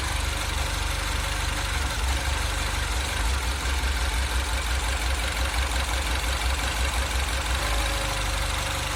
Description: Engine idle surge problem - in 2008 Mini Cooper S (N14).